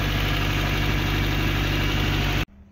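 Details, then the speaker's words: 1991 Honda Civic RT4WD EF wagon, first start after months sitting, with a past overheating and coolant bubbling problem, suspected head gasket, and some oil burning; steady, even smooth idle with no clatter or ticking, sounding healthy. "It still idles really smooth. No clattering."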